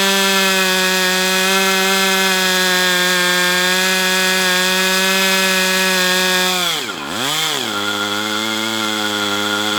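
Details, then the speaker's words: Brat 28 model engine rerun after running poorly days earlier, carb not blamed: steady high-pitched scream with buzzy whir like drag, brief dip and recovery; owner unsure engine is healthy, cause unknown. "There I hear a whirring sound like there's drag. I don't know what the hell to say about this engine."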